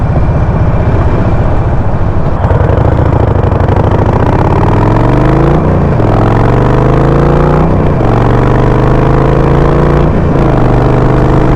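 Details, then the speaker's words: Harley-Davidson Sportster 48 V-twin on the road with the stock stage 1 map, revs rising and falling with crackling, sometimes loud pops each time the throttle closes; too much fuel in the stock map, before loading a revised custom map tune. "see like every time I let go the throttle it just pop up and sometimes it's just really loud popping"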